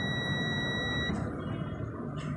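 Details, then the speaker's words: Multimeter set to continuity, probes touched together before testing a fridge compressor's windings: clean steady high-pitched beep about one second. Normal continuity buzzer. "तो जैसे ही हम continuity पे set करेंगे, इसकी props को आपस में मिलाएंगे तो ये आवाज़"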